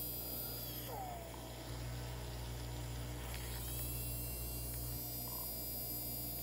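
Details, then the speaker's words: Non-working Schaper Stomper toy motor after a dip in jewelry cleaner, running submerged in the fluid: steady even speed with faint constant whine, no stutter; cleaning brought it back to life. "I don't know if you can hear it but it has started running so just that one quick dip in it and it's helped to clean it up"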